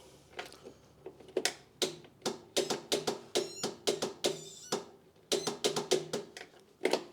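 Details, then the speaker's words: Craftsman YT 3000 lawn tractor on a jumper pack, key turned: sharp uneven relay clicks with no starter movement or cranking. Owner suspects the starter; the cam was replaced earlier. "I hear the relay clicking but the starter isn't moving so what I'm going to do is I'm going to hook my Tesla up to a ground so right now we're not getting power down to the starter"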